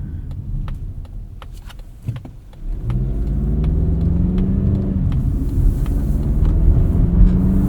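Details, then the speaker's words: 2024 Mazda CX-50 Meridian Edition, 2.5 L four-cylinder with a 6-speed automatic, driving in normal mode: irregular light ticking and rattling from the rear of the cabin over steady engine and road drone. "you start to hear that rattle from the back creeping back"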